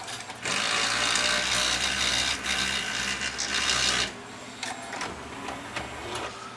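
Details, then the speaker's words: Toshiba VM42 Beta VCR loading a tape: rough, gritty grinding whir for about four seconds, then eases; the loading gear is cracked and slips on its shaft. "It's probably going to make that noise because there's a crack on that gear. But at least it loads."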